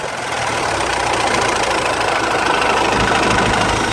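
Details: Hyundai H-1 Starex I 2.5 turbodiesel at idle: hard, uneven knock about three to four times a second from low in the engine; crankshaft pulley bolt had come loose, damaging the keyway and pulley seat; fix is tightening properly with a new bolt and Loctite 243.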